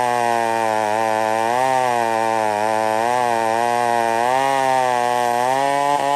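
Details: Old McCulloch 1-71 chainsaw after a major carburetor upgrade and an intake leak fix: strong, steady two-stroke scream that dips and recovers evenly while cutting wood. Clean, crisp response with no bogging.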